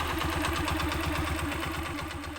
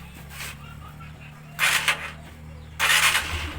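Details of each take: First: Honda TMX 125 single-cylinder, warm, before tune-up: fast, sharp light ticking over an uneven, lumpy idle that isn't steady; loose valve clearance, idle RPM needing adjustment; valve tappet tick with rough idle. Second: Honda TMX 125 single-cylinder after tune-up for ticking and poor idle, idle RPM raised; catches after cranking, settles into steady even putt, ticking cleaned up: normal idle.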